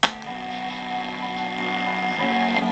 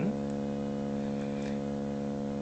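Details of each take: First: Pye TRS-2000 AM/FM radio after the AM bass distortion mod, with the AGC filter capacitor raised from 10uF to 22uF, playing music: full, steady bass notes with no fuzz or breakup; clean audio output. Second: Pye TRS-2000 AM/FM radio before mod, 10uF AGC filter capacitor, fed a roughly 650 kHz AM signal modulated a bit over 50% with 70 Hz audio: low hum tone comes through gritty and buzzy; AM detector bass distortion.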